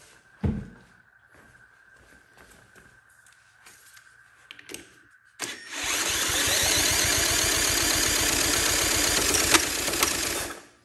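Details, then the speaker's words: Honda CT70K1 bought at a swap meet, cranked by a drill after good spark was confirmed, with fuel present: several seconds of even chugging about four per second under the drill's whine. It turns over but never catches. "so close ah I thought it was gonna go yeah my drill is getting hot"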